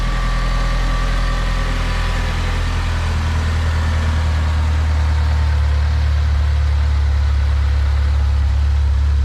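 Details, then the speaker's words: DSM on its first start after timing tensioner failure, head gasket job and cam install: steady, even idle on its own with a smooth low rumble, no ticking or knocking. "I definitely hear already a subtle difference on the idle. Oh yeah. Sounds good. Are you holding the gas pedal? No, we're good. So it's idling on its own. The motor sounds pretty good. No ticking."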